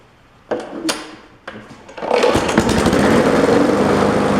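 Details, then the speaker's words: Old abandoned lawn mower, water pouring out of it, several primes: two weak pulls with no fire, then it catches roughly and runs unevenly; hard starting, cause not confirmed. "CLE more primes there we go that sounds like it's doing something now"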